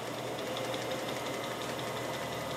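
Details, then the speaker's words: Atlas 618 lathe running with no load: steady hum, belt drive with new orange belts quiet and even with faint light ticking, occasional vibration; normal quiet belt drive. "I really like these orange belts they are absolutely nice and whisper quiet"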